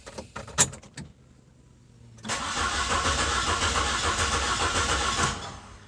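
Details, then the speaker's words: Saturn SL2 with a suspected bad starter during a relative compression test: sluggish, uneven, very slow cranking with a slow rhythmic churn, one beat softer from one low-compression cylinder. "after checking everything out i had to come to the conclusion that it has to be a bad starter that's turning slow and this one's kind of doing the same thing it's kind of cranking very slow"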